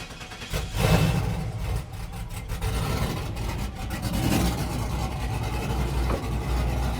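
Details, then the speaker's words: Chevrolet Silverado single cab 5.3 V8 with long-tube headers, just after a rocker arm change: catches after a short crank and settles to a steady, even idle, no ticking or knocking; healthy cold start before warm-up. "unit sounds good I mean there really shouldn't be any issues all we did was change the rocker arm so nothing should really change"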